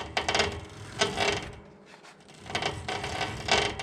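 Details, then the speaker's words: 2017 Woodland Mills HM130 sawmill, bandwheel turned slowly by hand while checking blade tracking: uneven scraping and clicking bursts each pass; possibly a bearing going on that side, not confirmed. "sound there doesn't sound good not sure if that's a bearing going in that side or what i might have to investigate that another time"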